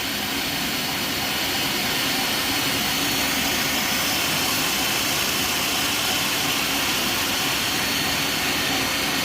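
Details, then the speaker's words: Elevator motor-generator spinning idle on inspection after a brush change: a steady hissing, grinding rush as a stone cleans the commutator and seats the new, still unseated brushes, running noticeably noisier than with seated brushes. "so it is rather noisy you can hear a difference in it running with them not seated"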